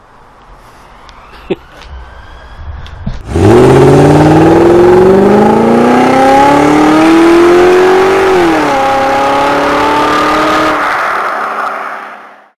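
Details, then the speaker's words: 1969 Ford Capri barn find, first start after revival: old petrol engine catches after a few cranks, then revs up cleanly and smoothly, pulls back and settles; running well. "yes the engine will run and she has"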